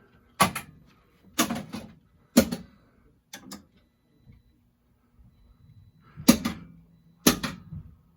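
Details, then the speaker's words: System 11 pinball machine in for a High Speed MPU repair (client reported no sound), solenoid and flasher test: crisp single coil clunks about once a second, strong and clean with quiet between; solenoids and flashers all firing normally. "some of these are flashers that you can't see but i can see them going off so those are all working properly"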